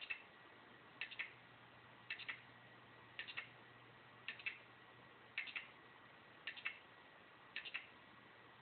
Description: A 1TB Seagate 7200 RPM SATA drive making noises when it is powered on.